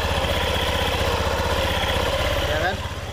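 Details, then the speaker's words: Honda Beat FI scooter after replacing worn roller housing, rollers and CVT parts with NPP parts: even low idle thumping about four pulses a second, no grinding or clatter; formerly rough noise from worn roller housing now smooth. "oke mesin udah nyala ya suaranya halus"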